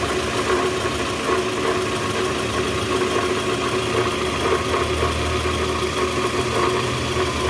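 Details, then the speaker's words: 2010 Toyota Vellfire, 2AZ-FE 2.4L, 100,000 km, cold start idling in R with the brake held, before repair: a busy metallic rattle from the lower engine over the hum indicates a worn or broken balancer shaft gear. "ya bunyinya jelas banget bunyi gitu di bagian mesin Nah itu indikasi balancer shaft-nya udah oblak atau hancur nih guys"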